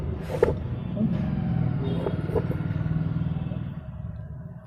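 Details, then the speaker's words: Bajaj Platina single-cylinder idle, before rocker adjustment: quick light ticking about three per second over the idle thump; valve tappet tick from very loose rockers. "हाँ, इसमें रोकर बहुत ढीले हैं, एक अलग से साउंड आ रहा है इसके अंदर।"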